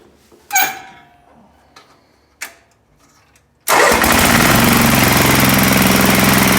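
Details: Sears ST/16 garden tractor that had sat for a long time, after a new fuel pump (old one not pumping), a carburetor from another tractor and rewiring: a few clicks and clunks, then it catches at once and runs steady and even with no misses.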